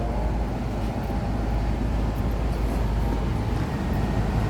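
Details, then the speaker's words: HVAC unit jumped out at startup after checking windings of compressors suspected grounded, condenser fans likely on pressure control: steady low rushing drone and airflow hiss, no knocks or squeals; condenser fans starting and running normally. "fan motors are all running. That's a good sign. We're just waiting for the delay from the compressors. The condenser fan motors must be off of like a pressure control, I think."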